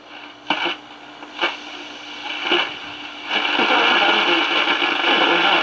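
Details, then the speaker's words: 1946 Val-Keen/Detrola Model 572 six-tube radio with a power transformer, first power-up with the speaker connected, tuned near 970: it pulls in a station but the sound is harsh, fuzzy and crackly over hiss; clearly distorted, cause not yet found. "sounds like it works it's just a little bit distorted"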